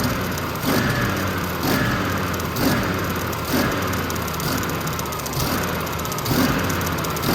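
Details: Generac 50 kW propane generator, the fuel solenoid found not opening: starter turns it over in slow, even pulses about once a second and it never catches. It briefly hit a little after the valve was tickled, but no propane is reaching the engine.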